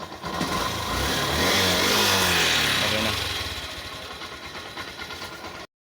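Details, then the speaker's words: Yamaha YTX motorcycle that was hard-starting and misfiring with weak spark despite a carburetor cleaning; CDI problem. After the fix it fires instantly, revs cleanly and settles to a steady idle with good throttle response. Normal start and idle. "hindi na siya mahirap paandarin yan at yung hatak maganda na maganda na yung response ng ah"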